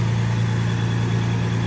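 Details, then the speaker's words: 2006 Toyota Tacoma after crankshaft position sensor replacement; previously cranked without starting with code P0335, now no codes: starts right up, smooth even low hum at settled idle, no stumbles or ticks. "it starts right up it wasn't starting before it was just cranking like crank crank crank crank crank would never start um yeah switched it and seems to be working good thanks"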